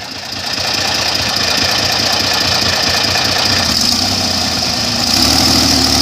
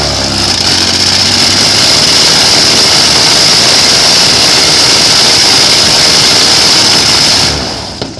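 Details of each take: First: Airboat under load: loud roar with an uneven, stumbling beat that shifts pitch, breaking up. Crew questions blade pitch; the carburetor float is blamed for fuel delivery. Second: Airboat engine after a fuel filter change, throttle eased in slowly: loud, steady roar with a high whine falling smoothly as the throttle eases, no stumbling; running cleanly, with a flame on lift-off.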